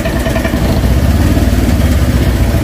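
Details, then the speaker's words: Honda Vario 125 with idle air control closing: low, uneven idle thudding with no steady beat, sagging and close to stalling; weak idle while troubleshooting cold-running brebet. "Oke, ini agak melemah sudah, di ACT-nya nutup. Nah, sepertinya mau sinjal, mau mati juga nih."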